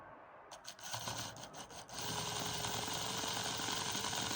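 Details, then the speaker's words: Old 00 gauge motorised model train chassis, tired motor that had jammed, test run after oiling: the small motor spins freely at steady speed with a light rhythmic gear rattle of about three or four ticks a second; cause of the rattle unknown. "So oil seems to do the magic. It's a bit rattly, I don't know why it's so rattly. Yeah. So it's a little engine which is presumably working."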